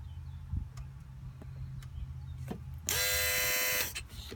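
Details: 2003 Volvo S60 2.5T AWD at quiet idle: a sudden loud raspy buzz for about a second that cuts off abruptly, felt strongly in an engine-bay hose, perhaps a coolant line. Intermittent buzzing, source not yet found.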